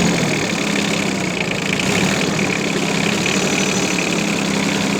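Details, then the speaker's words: Yanmar AF15 mini tractor with rear snow blade, diesel, sub-zero outdoor temperature, neutral, throttle untouched, clutch engaged: steady even diesel clatter at idle, no misses or stray knocks; runs very smoothly, normal idle. "Трактор работает ровно очень, без лишних каких-то шумов. Все отлично."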